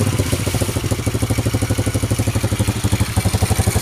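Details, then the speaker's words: Honda Revo Absolute engine after replacing worn bearings that made a sandy grinding, plus the clutch shoes, revved hard to high RPM: steady single-cylinder thumping with no rattle or grinding, running smooth and healthy. "Oke Guys meskipun mesinnya kita geber-geber dengan e RPM tinggi namun mesinnya tetap halus e suaranya"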